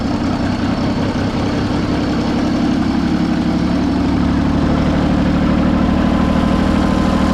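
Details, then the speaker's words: John Deere 355 diesel idling after new water pump install, refilled with 50/50 coolant, cap left open to bleed air; steady even idle with smooth low rumble, no knocks, rattles or hunting; healthy normal idle. "we'll leave this side donger off for now just so we can see in there and I think we're good to fire it up"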